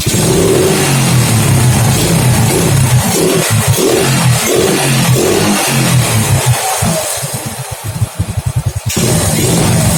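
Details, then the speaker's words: Honda Grand motorcycle, black fouled plug, after replacing the pulser: starts easily now but revs rise sluggishly and exhaust stutters unevenly on return, lagging throttle; faulty CDI suspected. "Suaranya seperti ini ya, agak telat. Ini tadinya sebelum ganti pulser nggak mau hidup, susah banget hidupnya. Setelah saya ganti, ternyata telat seperti ini."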